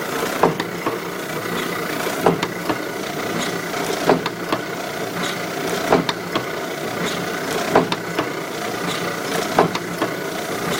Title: Kluge, 14x22, die cutter, foiling, Kluge Press making Noise when Cutting